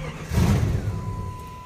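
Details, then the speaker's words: 1997 Jeep Grand Cherokee: engine catches briefly then dies within a second as the alarm/immobilizer cuts it out, with the horn relay clicking and a steady tone; fob possibly dead or not working. "Shuts it off. You can still hear the alarm clicking. That'll be your horn relay."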